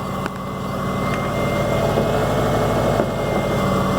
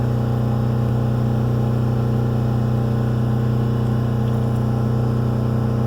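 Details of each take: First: Subaru Forester with new coil, new plugs and old wires, after rough running; steady, even idle with smooth low rumble, no stumble or misfire; owner still plans to replace the idle air control: normal idle. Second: Subaru Forester after coil, plugs, wires and new idle air control valve, faults cleared: engine holds a steady high fast idle around 4,000 rpm that won't drop; new part unacceptable, old one going back in.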